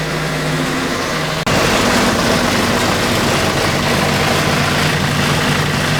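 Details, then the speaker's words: Renault Trafic/Vivaro/Primastar F9Q 1.9 dCi in sixth gear, wheels spinning; loud rough fast steady churning, suspected worn front right driveshaft bearing rather than gearbox, before replacing driveshaft: driveline noise in gear. "what I'm going to do is I'm going to run the engine I'm going to uh put the vehicle in sixth gear so it spins faster and then I'm going to let you hear the noise that it makes so if you have similar noise and that would be uh very helpful in uh identifying the problem"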